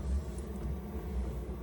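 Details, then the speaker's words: Amazon diesel air heater in a 2016 Jeep JKU, after warm-up with the fuel pump slowed: only a soft, steady low hum with no ticking, rattling or surging; the exhaust is quiet. Running normally. "as you can hear the pump has slowed down and it's yeah you can the exhaust is uh fairly quiet it's just sitting here running hardly noticeable"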